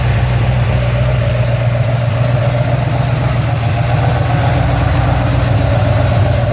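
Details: Ford XC GXL with restored 351 V8, carburetted, not yet warmed up: deep steady idle rumble with even pulses, no knocks, ticks or misses; choke later judged too rich; normal idle.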